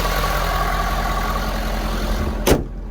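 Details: 2018 Ford F-250 6.7L Power Stroke diesel idling after fuel filter and water separator replacement and priming: steady, even diesel clatter with no misses or surging until shutoff; no leaks, healthy normal idle.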